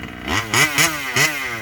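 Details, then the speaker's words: Rovan 5B fifth-scale two-stroke on its first run with a new carb and 10k clutch. Crisp blips rise and fall cleanly with no cutting out or flooding on top end: normal revving. "i don't know enough to say perfect but it's not uh it's not cutting out on top end it's not flooding out"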